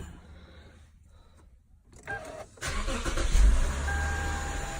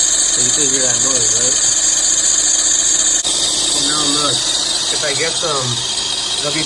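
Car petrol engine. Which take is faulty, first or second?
second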